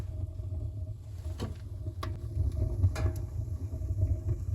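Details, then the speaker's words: Small homemade garage potbelly stove, just lit, smoke now drawing out the flue: steady low roar in the flue with no popping or puffing, strong draft; normal stove draft. "чутно аж гуде"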